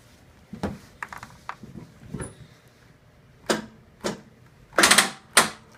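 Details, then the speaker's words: John Deere L130 lawn tractor, no power, just fitted a new 20 amp fuse for a blown one: a few sharp, uneven clicks, engine never cranks; owner suspects dead battery; later charged and runs, seemingly just the fuse. "Uh-oh, dead battery. Or hopefully it's just a dead battery."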